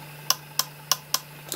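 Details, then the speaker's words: Yaesu FT817 ham radio: four crisp clicks about a third of a second apart over a faint hum, the antenna relay switching between antennas; normal, not the whistling sound fault being chased. "heard the click that's the relay kicking in to tell you going between the antennas"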